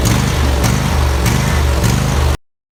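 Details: Husqvarna YTH2348 riding mower, 23 hp engine, 48-inch cut: engine speed rises and falls in a steady hunt about every half second, surging.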